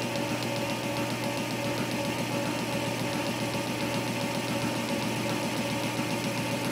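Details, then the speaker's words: Boring a drive sprocket for a Cisco lathe motor replacement, steel bit on boring bar, slow feed, final passes: even rhythmic tapping two or three per second over steady cutting hiss; normal interrupted cut from keyway. "you can hear that interrupted cut from the icky way"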